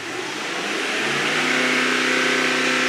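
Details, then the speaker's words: Mercedes GT63 AMG V8, revved stationary to about 3000 rpm where fault codes usually return: climbs and holds a smooth, even note, no knock or rattle; normal revving. "What I now need to do is rev it up to about 3000 RPM and hold it, because that's usually when the fault codes come back."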